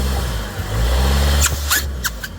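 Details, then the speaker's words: 2014 Ford Escape turbo, about 9 years old, in drive held on the brake: deep engine rumble under load, then sharp airy hiss bursts with each throttle blip and no boost; leaking charge pipe, split at the bottom hose elbow. "what is up driving the Ford Escape which has now been the daughter's car for a year and I'm pretty sure the charge pipe is leaking"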